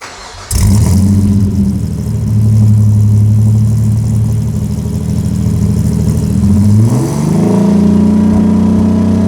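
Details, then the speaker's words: Opel Rekord with supercharged Nissan V6 swap, after new custom mandrel-bent 2.5-inch exhaust install. Catches cleanly, brief rev blip, settles into a steady, deep, even idle; sounds healthy, much better than the previous exhaust. "Well, that sounded pretty damn good to me. Way better than it sounded before, for sure."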